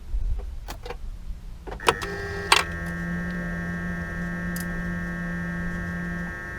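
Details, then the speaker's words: BMW E39 530i with triple DSC warning lights and error code 88: pre-charge pump heard at key-on, a few clicks then a steady low electric buzz for about four seconds; pre-charge pump works normally, fault lies elsewhere. "and that's the noise we expect when the pre-charged pump is working so it must be another problem"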